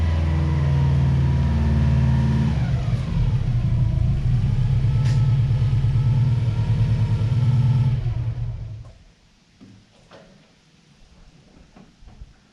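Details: Project car with an aftermarket exhaust of unknown brand, very quiet: a deep, even exhaust rumble climbs smoothly in pitch on a light rev, then the engine shuts off. It is running normally and sounds healthy.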